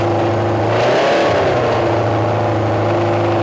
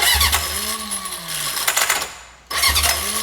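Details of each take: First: Junkyard Honda CB750F four-cylinder that sat for decades, running again: steady, lively idle with two crisp rev blips climbing and dropping cleanly; running strong, very loud exhaust. Starter clutch still needs addressing. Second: Junkyard Honda CB750F that sat for decades, cranking with choke on: starter whirs with a wavering tone and rattly cranking, stops and retries without catching; starter clutch slipping.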